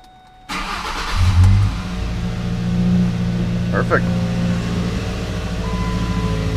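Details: Ford Ranger started after ignition coil replacement with new plug wires and dielectric grease: starter catches quickly, engine settles into a steady, low, even idle with no stumble or miss; runs fine.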